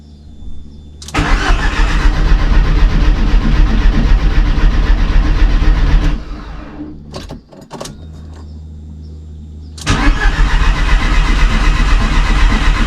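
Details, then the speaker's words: VW Golf drag car after fuel system rework: fuel pump runs and warning lights come on, then a brief crank, pause, and it starts straight away and settles into a steady even idle without oil pressure built first; normal start. "même pas de pression d'huile je démarre direct"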